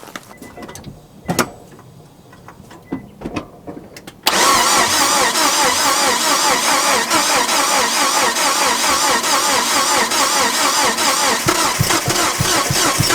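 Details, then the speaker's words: Neglected Nissan Frontier cranked after fuel dumped into intake (flooded): clicks, then starter grinding with uneven firing on two, maybe three cylinders that never catch; spark and injectors present. "Well, that was definitely 2, maybe even 3 for a second there."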